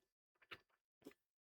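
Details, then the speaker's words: 2010 Ford Mustang 4.0L engine computer on the bench during the scanner self-test: faint, sharp clicks about every half second in a quiet room; the purge valve is cycling normally. "Perfect. I heard the valve. That's like a music to my ears."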